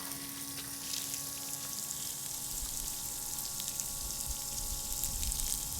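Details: CM30 intercooler circulation pump for a Mercedes SLK32, bench bucket flow test (about 8.5 gpm): steady electric hum at constant pitch under splashing water; runs evenly and moves water well.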